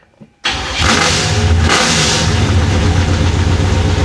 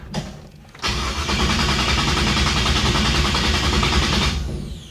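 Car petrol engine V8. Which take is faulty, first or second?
second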